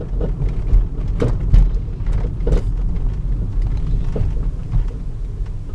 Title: Volvo s60 knocking sound when driving 2nd video